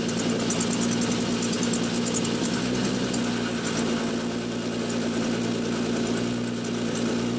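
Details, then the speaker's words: 2003 Winnebago Rialta petrol engine idling with raspy, puffing exhaust chatter; leak from a failed coupling at the front of the catalytic converter, coupler to be replaced. "And then the other scope of work that we're doing today is replacing these couplings that we have that have gone bad on the catalytic converter where it's leaking."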